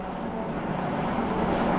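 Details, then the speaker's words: Alex PID White espresso machine, brew temperature above 85°C: a steady pump hum with an even hiss of water flow and no boiling rumble. The boiling sound has gone silent, so the machine is ready for brewing normally. "Ini tandanya udah silent, suara boilingnya udah hilang, udah bisa untuk brewing."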